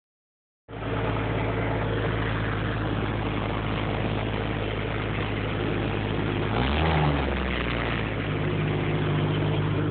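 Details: Idling car engine with a low, rough puffing rhythm and one brief rev; exhaust leak.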